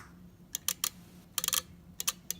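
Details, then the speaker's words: Maytag wall oven control board relay on the bench, coil fed about 3 V DC: crisp, sharp relay clicks in quick clusters, about a dozen in under three seconds, each cleanly opening and closing; relay is fine. "the open and closed this indicates that the relay is totally fine"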